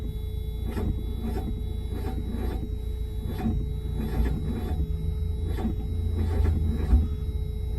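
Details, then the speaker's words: Mazda Miata after cam gear work, new battery: steady even cranking beats about every two-thirds of a second with no firing; no-start because the cam angle sensor was installed flipped; reinstalling it the right way. "cam angle was literally flipped the other way uh i knew that because of the coil effects you saw that in the last clip"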